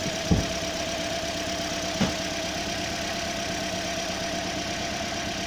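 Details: 2015 Toyota Corolla petrol engine idling with a steady hum broken by occasional irregular thumps, a misfire with codes P0351, P0353 and P0354 from bad ignition coil circuits.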